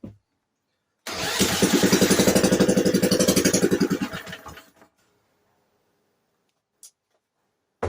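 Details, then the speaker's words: Vintage Briggs & Stratton, thought to be a late-1950s/early-60s one-horsepower, with oil-bath air filter, sitting 10+ years: catches after a pull on fuel poured in carb, chugs evenly about three seconds then dies; not picking up fuel, owner suspects cracked pickup tube. "Seems to run when I put gas in it. Yeah, if I put gas in the carb, it'll run. Ooh. It's not picking up fuel. It's only running on what I put in there."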